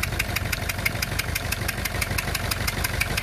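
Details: Renault Clio 2 1.5 dCi diesel idling unstably with a sharp, regular puffing tick about three times a second: two leaking injector seals let compression escape.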